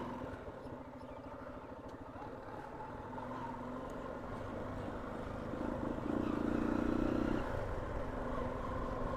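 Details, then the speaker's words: Hero Karizma R single-cylinder at cold morning idle with lumpy, uneven beat and dropped firing pulses, smoothing after a few seconds; daily cold-start misfire that disappears once warmed. "എല്ലാ ദിവസവും രാവിലെ ഈ ഒരു അസുഖം പതിവാണ്. ആ ഒരു time period കഴിഞ്ഞ് കഴിഞ്ഞാൽ പിന്നെ ചെറുക്കുന്ന ഒരു മിസ്സിങ്ങും കാര്യങ്ങളൊന്നും ഉണ്ടാവില്ല."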